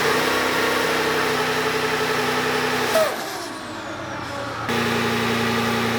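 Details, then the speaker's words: VEE080, a boosted LS V8 drag car being prepped for racing. Hard pull under boost drops out for a second or two, then returns as the engine breaks up. Suspected spark breakdown from a faulty plug lead; on earlier runs it made nearly 480 at 14 psi without the fault. "so we still have a few issues um you can probably hear from the footage it's breaking up it's causing a few issues"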